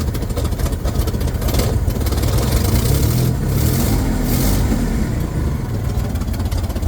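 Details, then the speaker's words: 1967 Chevrolet Corvair Monza 110, dual carburetor, hard to start and accelerate: loud, chuffing, uneven flat-six idle with a couple of blips, a tractor-like sound. Known bad exhaust leak; the carb linkage rod is also suspect. "Okay, she sounds like a tractor, which isn't unusual for her because she has a bad exhaust leak."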